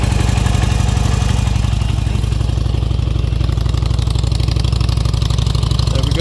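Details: Bike after fuel pump work, first start after reassembly: fires and settles into a quick, even thump, about four beats a second, steady with no misses or rattles; normal idle.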